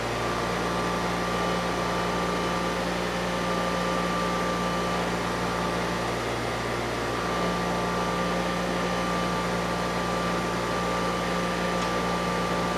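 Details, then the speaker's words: Early-1980s Honda EX5500 liquid-cooled twin-cylinder generator, run after sitting 5 months: steady, even drone with constant low hum, no knocks or misses, holds speed smoothly; engine sounds good and output light comes right on. "It still starts, engine sounds good, and more importantly, residual magnetism is not an issue because that light came right on."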